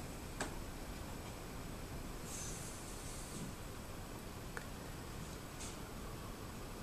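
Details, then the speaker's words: Vintage 1960s Newcomb 1625M tube record player/PA amplifier, about 50 years old, powered up through a series light bulb: filaments glowing, high voltage apparently present, only a faint steady speaker hiss with no hum or crackle; normal amplifier hiss. "Bulb's starting to light up a little bit. Probably tells me the high voltage is there. Can hear a slight hiss from the speaker."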